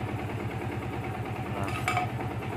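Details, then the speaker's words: Yamaha Vixion Advance single after repair of rough loud valvetrain clatter caused by oil not reaching the head, which damaged rocker arm shaft seats and valve spring retainers: steady, even idle with a soft regular beat, no tapping; healthy after repair. "oke Guys ini suara mesinnya kembali adem banget ya"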